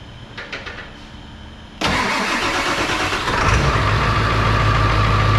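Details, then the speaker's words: Diesel truck ('73 noises noted) after a transmission replacement, on its test start: a short crank, firm catch, then steady diesel clatter settling into a smooth idle, a little more aggressive-sounding in the cab; runs healthy. "course sounds a little more angry with that that boot can hear all the 73 noises in the cab"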